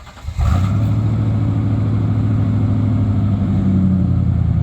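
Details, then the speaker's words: '96 Ford F150, at idle before exhaust repair: deep, dull, smothered, choked rumble, foul smell, hardly any exhaust flowing from one side; one catalytic converter completely plugged. "one of the catalic converters is stopped completely up and don't rev it don't rev it up there's hardly any exhaust coming out of it at all"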